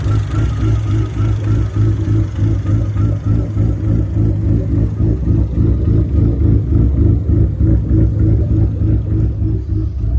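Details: SRT4 with big cams, big turbo and much larger injectors, first idle on rough base tune: lumpy, choppy idle pulsing about three per second with uneven beats; rough idle from untuned base map.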